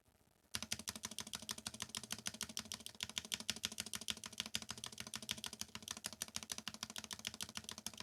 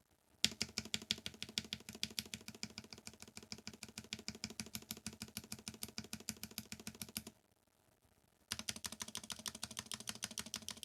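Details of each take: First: Novelkeys NK87 Entry Edition keyboard, polycarbonate plate, lubed Gateron KS9 switches, NicePBT keycaps, stock stabilizers replaced with lubed Durock V2: steady typing about three strokes a second, crisp even clacks, no wire rattle; quiet stabilizers. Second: Novelkeys NK87 Entry Edition keyboard, polycarbonate plate, stock unlubricated stabilizers: quick uneven clacky key strikes with a hollow, tinny rattle, worst on the space bar and right shift; stabilizer rattle.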